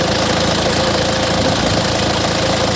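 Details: Isuzu Panther 2500cc diesel after timing gear refit and resetting, no smoke from exhaust: steady even idle clatter, no stray knocks or misses, healthy running diesel.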